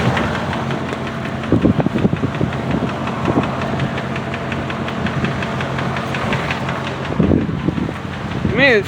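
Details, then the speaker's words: 2005 Dodge Ram 2500 4.7 V8 at steady idle with a light, regular tick keeping time with engine speed. Owner suspects a bad lifter, rods, wrist pins or timing chain tensioners, not exhaust manifold gaskets. "it sounds like a lifter rod or something. Yeah, I don't want that."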